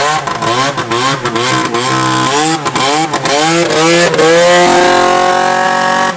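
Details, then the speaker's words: Vintage Yamaha snowmobile two-stroke with a small exhaust leak up front: loud crisp blat rising and falling cleanly with throttle, no misses or bogging; engine running strong and healthy. "That damn thing runs better than either of the articats. You can't kill a Yamaha."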